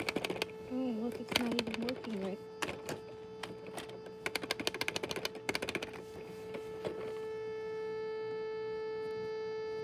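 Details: Vtech carousel toy on nearly drained batteries, with a warbling, garbled tune and clicks that break down into one flat, steady buzzing tone.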